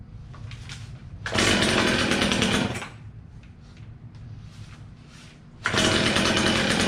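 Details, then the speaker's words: Old, low-hour Stihl chainsaw, first start with fuel only just reaching the dry carburetor. It fires and revs in loud bursts, drops to a rough uneven idle, then catches again; the hesitation comes from the carburetor still priming. "oh well she was a little hesitant at first from not having any fuel in it and having to get that carburetor all primed up"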